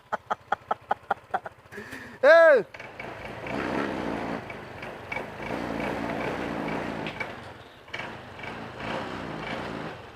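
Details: Honda PCX150 that would not start with dead dash lights, after replacing a weak 10–11 V battery (new reads 12.81 V) and corroded connection: about eight quick cranking pulses, short chirp, then smooth steady idle.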